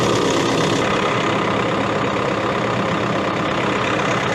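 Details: Case CX80 excavator diesel, throttle set to idle: a steady, deep, unbroken idle with no knock, miss or rattle; idling normally.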